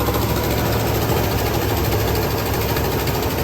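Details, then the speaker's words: 1975 Lincoln Continental V8 warming up after cooling system repair, carburetor untouched: low, slightly uneven, shaky idle with ticking exhaust chuff from a known exhaust leak; vacuum leaks heard, and whether cylinder #2 fires is being checked. "mean, let's let this thing run. It's got a little bit of unevenness to it."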